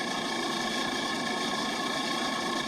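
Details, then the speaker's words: Walk-in freezer condensing unit not holding temperature in warm weather, started up with new condenser fan, box at 12 °F; steady semi-hermetic compressor drone with light rattle over a very quiet fan, head pressure around 93, running normally. "So that noise you're hearing is not the motor. That's the that semi-hermetic beast there rattling around. The condenser fan is super quiet."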